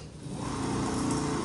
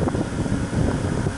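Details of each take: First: Minn Kota bow-mount trolling motor, 70 lb thrust, losing thrust: run on the foot switch it spins up to a loud, rough whirr with scraping grind; owner suspects the armature shaft was bent by hitting rocks, before armature replacement. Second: Minn Kota 70 lb-thrust bow-mount trolling motor after armature and brush assembly replacement (was lacking thrust), prop fitted: low steady hum, even, no grinding; runs smooth and healthy.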